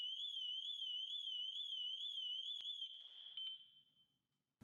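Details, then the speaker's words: Shrill vehicle alarm warbling up and down about twice a second, then cutting off abruptly, on a 270k-mile 2006 BMW X5 with 6-speed manual; painfully loud. "I think my ears started bleeding. That was really cool. That was so bad. I couldn't even - I couldn't even think."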